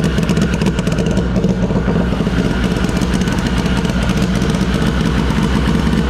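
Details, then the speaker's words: Race car "SHO'NUFF" first start via hardwired PDM and FuelTech, engine completely cold, air-fuel ratio 12: lumpy uneven idle with clattery beat and missed pulses; misfire, owner suspects a stuck injector. "i almost wonder if one of our injectors is stuck how much fuel's in here yeah just sounds like a misfire in here yeah the air fuels at 12. so completely cold but she ran"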